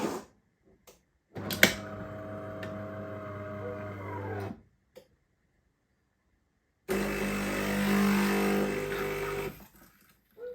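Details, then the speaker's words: Used bean-to-cup automatic coffee machine during coffee extraction: a persistent steady pump drone with a few faint cracks from the internal mechanism. The cause of the cracking is unclear. "Persistent sound when it comes to extracting the coffee. A few cracks here and there from the mechanism on the inside."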